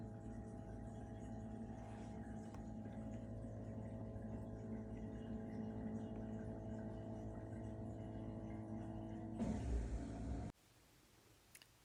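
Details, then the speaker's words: Bosch Ascenta SHE3ARF6UC/21 dishwasher drain cycle with E24/E25 codes: a steady, loud, low whir with a droning hum, like a plane taking off, that cuts out abruptly. The drain pump is suspected per the troubleshooting guide and slated for replacement. "so you can hear the worring sound that is not normal"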